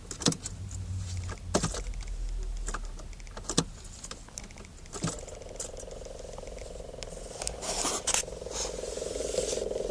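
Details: Car whose gauges failed for a split second at startup the same day: steady buzzing hum from behind the dash starts partway through over the idle and cabin knocks; cause unknown.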